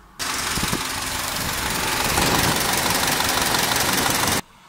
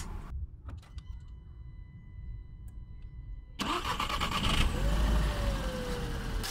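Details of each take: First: VW Golf GT petrol engine hot at idle: a fast, loud, distinct metallic ringing rattle that appeared only when warm, traced by a shop to the timing chain. Timing chain rattle at hot idle. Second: VW Golf GT engine starting and idling after oil and filter change cured a hot-engine knock (chain tensioner suspected); cranks, catches quickly, settles into an even, quiet idle without knocking.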